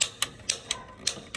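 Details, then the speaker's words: Commercial Pro Line PCG-75 gas boiler pilot igniter in a quiet boiler room, before gas flow: sharp dry ticks about three to four per second, evenly spaced, faint visible spark, normal pilot ignition. "All right, you see that spark down in there? It's very faint, but you can see it."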